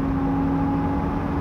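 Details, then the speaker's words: GMC van on throttle: a steady low howl with a fainter higher tone over road rumble. It grows horrendous around 50–60 mph and only occurs on the gas; a rear differential whine is suspected, not confirmed. "but it also sounds like you're kind of hitting like warp speed so it's like whoa and then the faster you go like up around like 50 60 it's the most horrendous noise i've ever heard"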